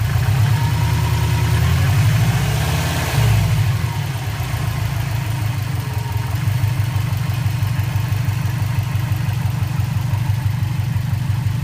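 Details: 2004 Subaru WRX stage 2, engine warm at idle, suspected piston slap: steady fast puffing tick over low rumble. Compression 150 psi, leakdown 5-10%, burns no oil; cause was a cracked uppipe flange exhaust leak.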